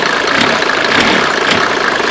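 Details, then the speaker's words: Mercedes-Benz W124 300D diesel for sale under 2000 euros: loud hard clatter at idle with uneven rough pulses; broken, unadjusted engine parts believed to make it run harsher, cause not confirmed. "Seguramente si este motor tuviese todo esto ajustado, que está roto, iría mucho más suave."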